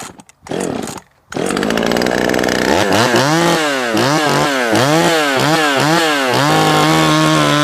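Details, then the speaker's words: Jonsered 525 chainsaw, cutting wood: high two-stroke scream that repeatedly sags and climbs back; stumbling under load, running rich, and the owner suspects a poor carburetor tune. "it is doing this weird thing where it's stumbling and stuff uh let's just fire it up and see"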